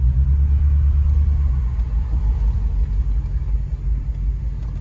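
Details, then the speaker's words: Dodge Charger R/T V8 driving after replacing a bad coil pack: steady low rumble, no misfire stumble or shake, smooth even pull; an O2 sensor issue is still suspected. "yep definitely a lot better"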